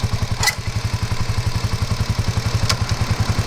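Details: Kawasaki KLR250 after repair of its hard starting, starting on the first kick; even single-cylinder thump about eight beats a second, no misses — normal idle.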